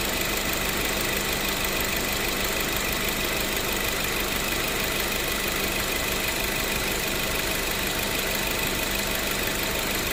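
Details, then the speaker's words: Mazda3 at idle with the AC on, after replacing AC lines, expansion valve and O-rings and fixing the compressor clutch sleeve. Steady smooth hum, no knock or squeal, compressor cycling normally; cabin 8°C, outside 28°C, about 255,293 km. "มีคำตัดนะคะคอมแอร์ตัดต่อปกติคะ"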